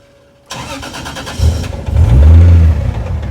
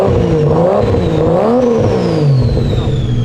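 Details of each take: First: Toyota 2JZ on first start after fitting sequential injection and R35 coils, which the owner forgot to account for: cranks, catches and stumbles with lumpy surging revs over loud injector tick; ran really bad and sounded terrible, rough running. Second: 2JZ engine with a BTI CAN gauge, in neutral: a quick throttle blip where revs climb cleanly and drop back smoothly with no misses, knocks or rattles. A healthy free rev that the owner says sounds good.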